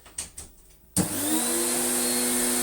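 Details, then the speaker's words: Electrolux Slimline Mk2 156 vacuum, long stored in a loft, with its old bag, first switch-on: switch clicks, then the motor spins up to a steady, even roar with a clean whine; good suction. "it on though. Got some good suction. That's the hose making that noise."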